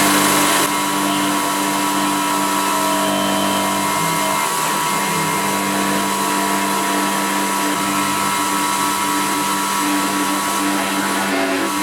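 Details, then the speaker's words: CNC milling an epoxy-laminated timber hammer handle at 3 mm step over; steady high spindle whine with a rough, buzzy edge; cutter chatter, especially in the deeper section, leaving a rough surface. "it's it's quite a rough surface that I've got there because I'm using three millimeters step over and it was a little bit of chatter as we were cutting that especially in the deeper section"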